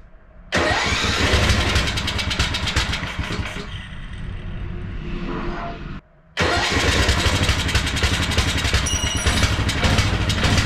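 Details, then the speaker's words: Wheel Horse mud mower, stock Tecumseh carb swapped for Mikuni-style slide carb, first start after priming: engine fires, runs ragged, sags and stumbles to a stop, restarts unevenly; owner suspects too much fuel pressure flooding the new carb. "okay yes erupted out of this thing maybe it doesn't like all that fuel pressure so I'm going to slow down the fuel coming out of it"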